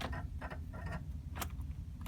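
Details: 1969 Mercedes 280SE whose starter died after long cranking, owner feared melted solenoid wires, later found a bad connection; scattered quick clicks and light rattles with no cranking or turning over; starter clicking, no crank.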